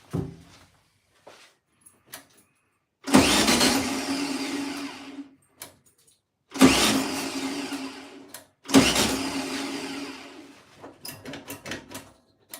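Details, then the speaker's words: 1972 VW Beetle project car, first start after sitting over two years, using fuel of unknown type from a lawnmower can: three two-second bursts of starter cranking, engine never fires; cranks but won't start, probably no fuel drawn through yet. "I need to pull that fuel through"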